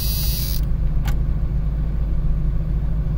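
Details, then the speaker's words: Jeep Cherokee XJ about a year after installing 4-hole fuel injectors, low on fuel; starts without hesitation into an even, steady low-rumble idle with no stumble or misfire; normal start and idle. "doesn't hesitate or anything as you can see we are low on fuel running pretty good"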